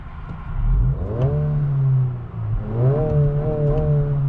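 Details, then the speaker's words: 2022 Honda Civic Si, 1.5-liter turbocharged four-cylinder, revved: two clean blips, pitch climbing smoothly and falling back with no rattle or misses; healthy engine with a throatier exhaust. "and here it opens up a little baffle in the exhaust a little bit so that's pretty cool"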